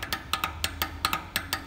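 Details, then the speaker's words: Bicycle wheel with loose spokes not fully seated in the rim (common on new bikes): sharp metallic spoke ticks, about five a second, while riding; fix by tensioning the spokes. "que a roda tiver solta ela pode acontecer de gerar alguns estalos nos raios"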